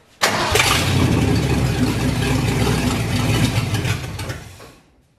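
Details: Ford 351 Windsor V8 in F100 rat truck, first start, fuel system flushed of diesel, timing untouched; catches and roars unevenly about four seconds, hunting and surging unprompted before dying. Owners think dirt in the carburetor.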